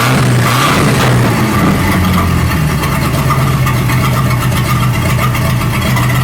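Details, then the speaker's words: 1937 Buick Roadmaster with an apparently rebuilt Stromberg carburetor, after the idle screw and idle mixture screw were set: a smooth, even low idle rumble with no stumble or hunting. It sounds much better but still needs fine tuning. Normal idle. "That sounds a whole lot better. So we got our idle screw set here, and then I'll turn the idle mixture screw over there, and that seemed to help a little bit."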